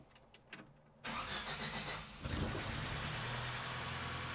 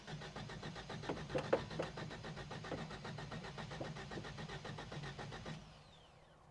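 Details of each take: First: 1973 Toyota Hilux after a new alternator and cooling-system work, started to get fuel back to the carb and bleed coolant air: the starter cranks about a second, then it fires immediately into a steady, even idle. A clean start; slightly smoky. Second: 1973 Toyota Hilux started after sitting, radiator removed: steady starter churning at about four beats a second for over five seconds before it fires; owner suspects near-empty fuel lines had to draw fuel uphill from the tank.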